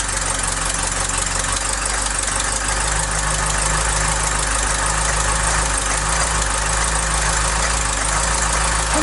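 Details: Mk3 Ford Cortina Estate carburetted engine at steady idle before the loose exhaust manifold nuts were tightened. A fast, light tapping keeps time with the engine, typical of an exhaust manifold leak.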